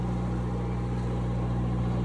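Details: Cummins 4BT four-cylinder marine diesel generator on a 94' Broward yacht, after replacing fouled injectors that caused smoke and water sheen; no smoke now. Steady, even low hum, no knocks or stumbles; normal running.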